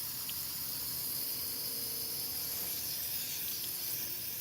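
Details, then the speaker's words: Water heater burner: steady high hiss of gas with no flame catching; gas flows but the burner won't light. "Okay, turn it off. Yeah, it's trying to light. I hear it."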